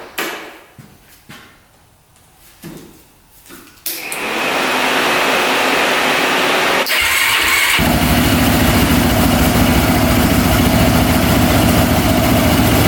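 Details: Jump-started engine with a dead battery; needs full choke to come close to starting, very hard starting, then runs loud, rough and ragged on choke; poor running, carb and fuel suspected, cause not confirmed.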